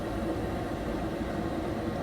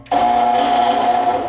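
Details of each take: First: Gas furnace lights after the inducer exhaust fan purges and the gas valve clicks open, burners firing on the first try; a smooth, even rush of burner and fan with no knocks, rattles or surging, running normally. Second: Furnace blower motor gives a steady mid-pitched electrical buzz and never spins up; the capacitor tested good and a new one had no effect, so the blower motor itself has failed.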